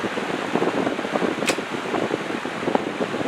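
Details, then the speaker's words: Restored old box fan on high speed in intake direction: a steady rush of air with a soft motor hum under wind noise. It runs cleanly; the back grille vibrates a little. "So here's high. A nice strong breeze. It's great. That back grill vibrates a little bit."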